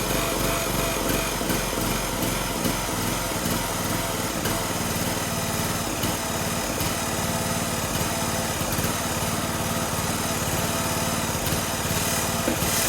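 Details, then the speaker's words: Toro Z420 Timecutter zero-turn mower, swapped replacement engine, first start with choke on, PTO disengaged: loud, uneven running, beat stumbling and surging; running rough because the carburetor wasn't cleaned; something hitting the dipstick shroud. "And it's running like crap. You know why? It's because I didn't clean the carb."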